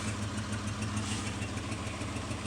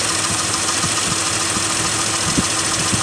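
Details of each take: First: Mitsubishi Montero that previously would not idle and shook as if misfiring, now idling on its own, not cold started, with an emissions check-engine code: faint quick ticking over a steady idle. Suspected exhaust leak. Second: Mitsubishi Montero that previously would not idle and shook badly as if misfiring: idle now holds steady without heavy shake, a few soft uneven thumps and an exhaust leak remain; not a cylinder misfire, engine runs fairly smooth.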